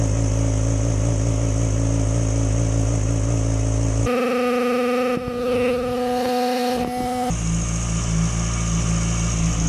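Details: 2006+ Yamaha R6 that died at idle when below about 160–170°F, first start-up after the clearances were reset back into spec: catches and settles into a smooth, fast idle with a brief blip, no ticking or knocking; runs normally.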